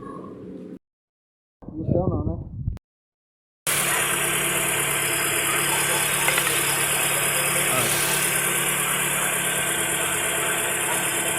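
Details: 2017 Chevrolet Onix 1.4 LTZ, converted to CNG (GNV), idling after repair of an engine noise; smooth, even idle with steady hum and no knocks, rattles or vibration; sounds healthy.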